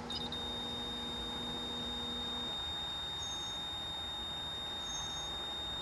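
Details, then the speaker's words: Nissan 240SX S13 with SR20DET swap, ignition switched on but engine not running, while setting up an SAFC2 air-flow controller. A high, steady electronic beep in a quiet cabin is the oil pressure gauge alarm sounding because there is no pressure. "do not turn the car on you will hear that beeping because it's our oil pressure gauge"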